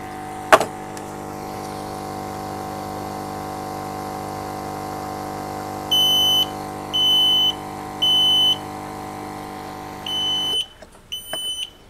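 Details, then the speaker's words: Home freshwater lobster tank oxygen air pump running while burning paper tests the smoke sensor: pump hum under three shrill evenly spaced alarm beeps, then hum cuts out; smoke alarm sounding, air pump switched off automatically. "pump dah dimatikan secara automatik."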